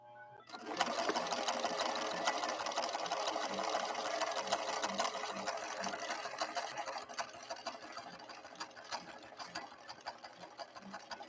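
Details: Late-1970s Viking Husqvarna 6460 Colormatic after several repairs, sewing the green snaky decorative stitch: even quick ticking about three stitches a second, no grinding or binding; normal running.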